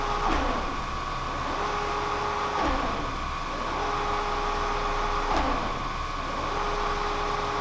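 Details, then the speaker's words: Kearney & Trecker 307 S-12 plain milling machine after knee reinstallation, testing axis feeds: steady motor hum repeatedly cutting out and returning, with knocks as the feed drops off; feed motor stalling, cause unknown. "it's not wanting to pick it up and it's dropping off I'm not sure what's going on sounds like the motor's stalling"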